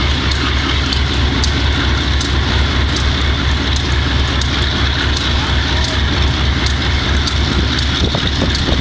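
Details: Wimpy MTL B30-7 diesel locomotive: heavy drone with uneven loping beat about once a second at idle; bad injectors, work included changing air intake and some injectors and checking valves.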